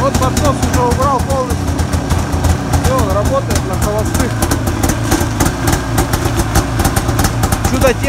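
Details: Arctic Cat 570 snowmobile, Japanese two-stroke engine, electric-started at minus 40 on new Varta AGM battery with full choke; quick, slightly uneven popping settling into a steady clean idle, no knocks or misses; normal cold idle.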